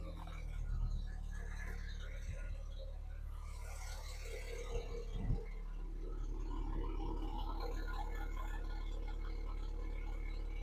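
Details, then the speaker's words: 2001 Audi TT convertible turbo, first start after fitting a cheap 3-inch eBay downpipe. Quiet, steady low idle with no knocks or misses and a bit more turbo sound; it settles smoothly before revving. "can hear a little bit more of the turbo. Let's rev it up a little."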